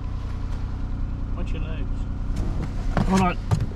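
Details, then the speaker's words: 2005 Saturn L300 3.0 L twin-cam 24-valve V6 at auction, just started: settles into a low, steady, even idle with no knocks or misses under background chatter; running smooth. "crank it up oh it's running smooth"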